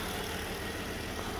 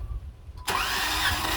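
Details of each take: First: 2017 Jeep Wrangler 3.6L V6 idling, cylinder 2 misfire persisting after injector, coil and all plugs replaced: steady idle with faint uneven lope; low compression, suspected valves not closing properly in the cylinder head. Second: 2017 Jeep Wrangler 3.6L V6 compression test, cranking on a cylinder reading about 140 psi: starter cranks at a steady even pace, about three and a half beats per second; this cylinder's compression is healthy.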